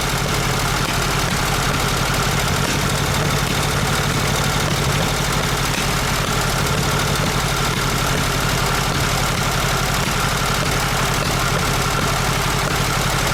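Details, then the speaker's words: VW Super Beetle Volksrod air-cooled engine on first start after rewiring: lumpy, uneven idle with stumbling beat, not firing on all cylinders; misfire, cause not yet known. "definitely not running right on all cylinders not sure yet if it's ignition or if it's one side of the carburetor not doing what it's supposed to do so we definitely got a misfire there was a troubled cylinder on the first try"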